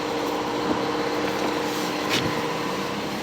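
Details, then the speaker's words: 1985 Cadillac Cimarron, 43,000 original miles, cold start: steady, even fast idle around 2100 rpm with a smooth hum and no knocks, good oil pressure; normal high cold idle that comes down once warm. "this idle will come way down once it warms up"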